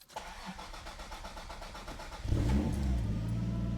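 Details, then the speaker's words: Mk3 Supra 7M-GTE on E85 fuel system with new regulator and lines, idle air control valve deleted, ECU being tuned: cranks briefly, fires at once and holds a steady idle that sits a little high, needing slight throttle input; high idle. "No idle air control valve. It does require a slight bit of throttle input, but idle's pretty good. a little high."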